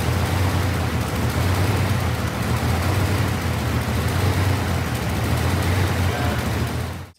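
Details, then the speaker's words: V8 car with a rattling exhaust cutout: rough, lumpy idle with an uneven skipping beat. Infrared thermometer checks on the header tubes showed cylinder seven not firing or not getting fuel. "what i found was number seven cylinder basically is just not firing or not getting any fuel one of the two"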